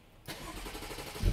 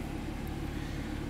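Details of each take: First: 2013 BMW 3 Series F30 N55, hard start and stalling with codes 1F1A91 and 119404: starter cranks evenly for about three seconds but never fires; crank no start from a shorted 5 V reference. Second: 2013 BMW 3 Series F30 N55 after repairing hard start and stall, then unmetered air found by smoke test: low, even idle rumble with steady beat, no stumble or misfire, check-engine light off, no codes; normal idle.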